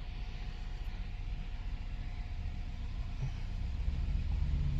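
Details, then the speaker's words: Nissan Tiida rental car, four cylinders, previously showing P0300 with backfiring and power loss, after repair: quiet, steady low idle with an even beat and no popping. The scanner shows no fault codes and the misfire count confirms stability. "vamos a encender el vehículo y parece que el petardeo ya se ya se quitó no tenemos ningún petardeo"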